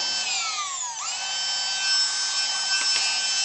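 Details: Masterclip Hunter horse clippers after repair, where a slightly misplaced PCB had stopped the switch working and brushes were refitted, run without the head: high, thin motor whine dips in pitch, then settles into a steady, even hum, running normally.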